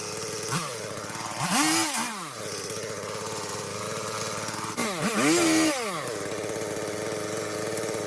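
Saw idles evenly, then two clean throttle blips rise and fall smoothly back to a steady idle; the chain and engine run healthy.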